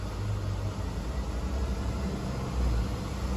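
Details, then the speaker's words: 2009 Honda 2.4 petrol after crankshaft (CKP) sensor relearn: steady raised idle at 1900–2000 rpm, even low rumble, no misfire on cylinders 2 or 3 (previously misfired with A/C off); A/C off. "está 1900 2000 y ya no falló nada ninguno ni el dos ni el tres fallaba n más apagado el aire acondicionado"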